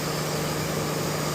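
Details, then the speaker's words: Chevy Tahoe, engine off, check engine light with P0128: steady fan whoosh and low hum with no engine running; scan tool showed erratic coolant temperature sensor readings keeping the fan on. "Let's have a check engine light on P 0 128 and the fan stays on while the car is not running."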